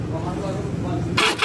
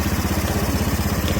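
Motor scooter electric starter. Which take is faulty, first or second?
first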